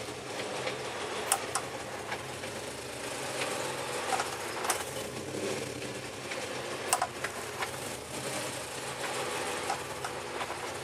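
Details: Cadillac CTS-V at idle: quiet idle with light fast sewing-machine ticking and a few sharper clicks over it; engine clicking, cause unknown.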